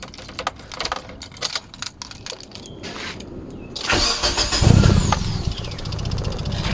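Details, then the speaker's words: Proton Waja that kept stalling while driving, started after repairing a broken crank sensor wire and replacing its socket: quiet clicks, then cranks, catches at once and settles to an even idle; normal start. "Okey, dah hidup inilah cerita wajah bawa tiba-tiba mati."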